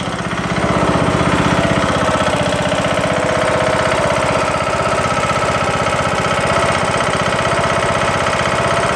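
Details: Craftsman LT2000 mower's Briggs & Stratton single-cylinder running with a loud, hard knock on every firing, about four per second. It appeared after the broken camshaft and timing gear were replaced; cause unknown.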